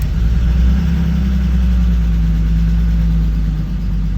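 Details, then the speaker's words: 1992 BMW E36 325i after replacing a suspected faulty fuel pump on a no-start: engine starts and idles with a low, steady hum, no misses or stumbles. "and it starts it actually sounds okay hooray that's great news"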